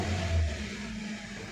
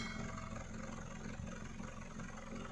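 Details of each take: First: 2012 Hyundai Verna Fluidic 1.6 L petrol, light blips with rough, lumpy low note and heavy vibration, no fault codes; misfire in one cylinder, poor pickup and stalling, fixed by replacing the number 3 ignition coil. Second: Hyundai Verna Fluidic 1.6 L petrol, earlier misfiring in one cylinder with exhaust pops, after repair: steady even idle burble, RPM stable, no pops, no silencer vibration; check engine light on, code P2127 accelerator position sensor 2 low found next.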